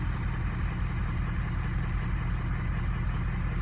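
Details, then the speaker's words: 2003 diesel truck warm idle, cylinder 2 contribution balance fault, aftermarket air filter: low steady idle with faint uneven lope about once a second; injector number two weak and needs replacing, number six also suspect. "might be a little suspect to number six right here but definitely number two number two needs to go"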